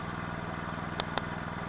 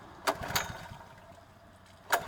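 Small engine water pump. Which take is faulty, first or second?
second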